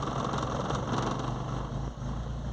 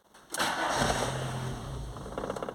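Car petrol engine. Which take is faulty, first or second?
second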